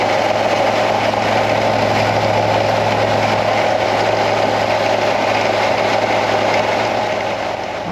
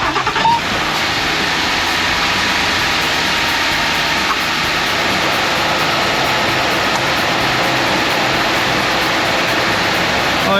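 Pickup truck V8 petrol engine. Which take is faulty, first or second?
first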